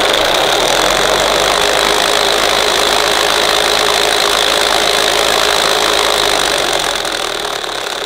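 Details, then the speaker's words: 1975 Hoover U4034 Ranger Senior vacuum with very worn belt and brushes: loud steady motor with high whistle and fast uneven rattle; noise appears to come from the badly worn agitator brush roll, motor itself sounds smooth. "that don't sound too healthy so I think a lot of the noise is coming from the agitator"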